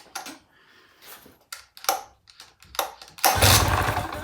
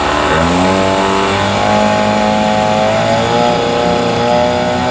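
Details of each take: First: Mercury 9.9 hp outboard that ran last season but won't start, in neutral during spark check after tightening loose spark plugs: short cranking bursts, catches and runs roughly about a second; loose plugs suspected. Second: Mercury 9.9 hp outboard after fuel line replacement, revved in neutral/reverse: clean steady buzz rising smoothly with each rev, settling without misses or sputter; running properly, old fuel line believed the problem.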